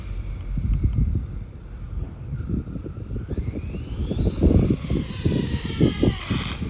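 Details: MT10 Rival RC truck, possibly after hitting the trailer hard: rough clicking and crunching bursts rise and fall with the motor's climbing whine under throttle; suspected damaged diff or gears.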